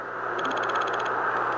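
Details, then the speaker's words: Radiuno BITX40 receiver: rapid ticking clicks over steady hiss as the frequency is tuned, from no decoupling on the Arduino regulator; a capacitor across the 12V regulator to ground removes about 80%. "you can hear the clicking that's caused by uh really no no decoupling on the uh regulator of the Arduino"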